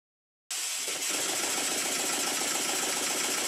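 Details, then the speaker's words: Model steam engine built circa 1896, rebuilt and run on compressed air after setting slide-valve timing by guesswork: steady rapid puffing chuffs over air hiss, no knocks or bangs; runs well, though the weak thin crankshaft still wobbles around the crank pin. "And it works very well indeed. It doesn't knock. It doesn't bang, but the crankshaft is still very weak and it's wobbling about around the area of the crank pin."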